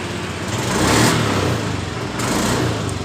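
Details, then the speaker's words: Honda Beat eSP scooter that starts and idles normally but dies on throttle: picks up then stutters, sags and surges; lean misfire from low fuel pump pressure. "perhatikan motor ini ketika kita tarik tuas gas motor ini brebet atau hilang tenaga ketika kita tarik tuas segas seperti"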